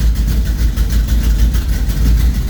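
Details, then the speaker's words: Cold 1973 Plymouth Duster 440 V8 (bored .030 over, MSD 6A ignition, fuel pressure set at 6) idling right after a first-try start following a week sitting, good oil pressure: a loud, deep, lumpy idle with a steady pulse and no ticking or knocking; normal cold idle. "there you go good oil pressure the fuel pressure i have it set at six right now it's cold"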